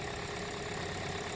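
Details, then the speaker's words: 2017 Hyundai Elantra 2.0, just started after replacing a noisy, non-charging alternator and the serpentine belt (705K6). Charging reads about 14.5 V. Even, steady hum with no squeal or chirp: a smooth normal idle. "Up and running. New alternator, new belt."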